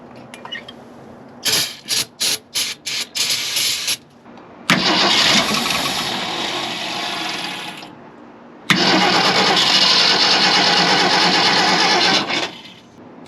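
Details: 1965 Ford Galaxie 500, after its plugged fuel filter was replaced with one taken from a truck: short cranking bursts, then long hissy spinning with no steady firing. The carb has sat for an unknown time.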